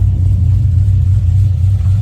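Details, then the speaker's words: 2009 Pontiac G8, LS2 V8 with big cam, after tuning with HP Tuners to fix cam surge. Deep steady idle, even low rumble with slight lope, no hunting or surge; idle sits where it should after tune. "yeah i hear it already the tune already been done they're just listen to the beauty of the sound"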